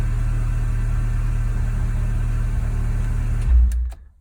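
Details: MK2 Golf GTI 16v, nearly 200,000 miles, top-end rebuild in 2004 about 25–35,000 miles ago, just started in garage: deep steady idle drone, no ticking or misfires, then shuts off cleanly; normal idle.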